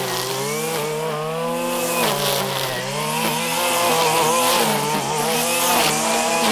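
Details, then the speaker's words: 1997 Stihl Pro Series FS two-stroke trimmer cutting grass wide open: a high buzzing note dips briefly under cutting load and recovers quickly. It runs clean and strong, a normal tune. "all right you can see it cuts very well there and it frankly doesn't care about how deep you buried into something except on the plunge cut"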